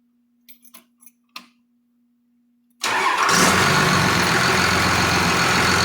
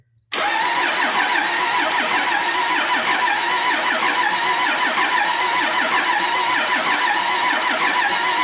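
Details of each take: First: Cummins diesel from an old bus with Allison transmission, sat outside about 3.5 years, restarted after cooling down; a few clicks, then it catches at once and runs evenly and strongly with no stumble, a normal start and run. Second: Cummins bus diesel sat outside nearly 3.5 years: long, even starter cranking with no firing after the back three injector lines were cracked to bleed air from the dry fuel system; still air in the fuel.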